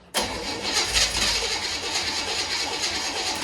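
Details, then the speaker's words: 1963 Chevy Impala with the fuel filter not filling: the starter spins at a steady, even whir for several seconds without catching; cranks but will not start, owner suspects the fuel pump failed. "i think my fuel pump just went out"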